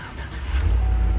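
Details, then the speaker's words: 2013 ex-police truck V8 with 116,000 miles at auction, cold start; catches and settles into deep even rumble within a second, no tapping noise, healthy start. "Nope, not a peep. It sounds wonderful."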